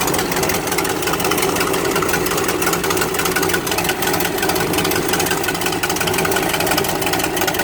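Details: Exhaust leak heard at steady idle: a sharp, raspy ticking puff on every firing pulse, the typical chuff of a leaking exhaust.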